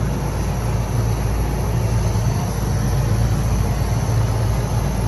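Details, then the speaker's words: 25-ton Lennox unit not cooling, serving a basketball gym, 100 degrees out; blower wheel spun: smooth, even low rumble as it coasts, no grinding; blower bearings sound normal. "right so our blower section spins freely I don't hear any grinding or anything from the bearings"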